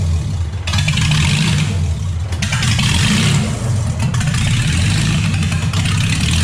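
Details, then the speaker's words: V6 Mustang running roughly: loud, uneven, lumpy beat; another vacuum leak is suspected and only a few plugs seem to be firing, so the spark plug connections are being checked. "it kind of sounds like I have another vacuum leak let's try that [Music] only a few plugs are firing"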